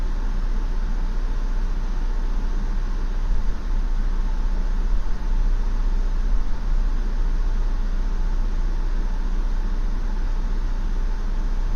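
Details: 2016 Ford Explorer idling: low, lumpy idle with uneven pulsing rumble about two beats a second, not settling smooth; rough idle, cause unknown.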